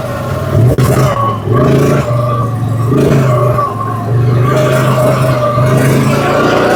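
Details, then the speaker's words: Fire-damaged CF Moto Z Force 800 UTV after revival: runs smoothly, revs rising and falling under throttle, no knocks or misses; healthy apart from running out of fuel, fuel pressure dipping to about 10 when sloshing. "Aside from running out of fuel, it's working great. Yeah, sounds good."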